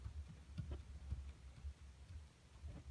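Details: Honda Accord 7 steering rack knock: a Chinese rack fitted six months ago is knocking again. Faint dull clunks about twice a second as the wheel is rocked by hand, showing play in the rack.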